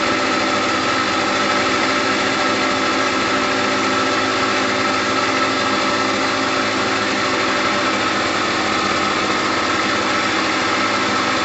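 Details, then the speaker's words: Gilera DNA 125 two-stroke scooter after a new fuel line, with two-stroke oil in the petrol: bright, buzzy idle holding a constant speed with no surging or dropouts. Normal, healthy idle. "on the bottom there's that two-stroke sound we're looking for there is two-stroke oil in the petrol so we're okay at the moment"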